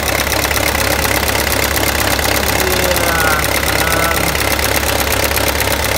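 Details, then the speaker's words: Peugeot 306 D turbo diesel after first-time injector seal replacement, fuel primed with a low battery: steady, even idle with usual injector clatter, no misfire or hunting; running right with no injector leaks. "that sounds like it's running right. Thankfully I can say there's no leaks,"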